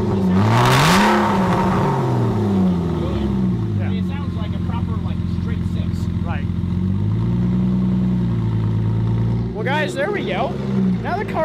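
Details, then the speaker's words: 1997–99 Porsche Boxster with a custom cold air intake, on its first drive: loud, deep exhaust drone that swells and settles into a steady idle on its own, sounding decent; normal idle. "freaking idling and sounds decent"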